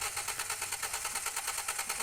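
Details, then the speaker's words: 2010 Toyota Vios after a front collision with a new radiator and AC condenser: starter spins the engine at an even quick rhythm, about seven pulses a second, but it never fires; cranks but won't start, check-engine light on. "so Ayan mga boss ang nangyari dito ay cranking lang talaga at ayaw na mag-start"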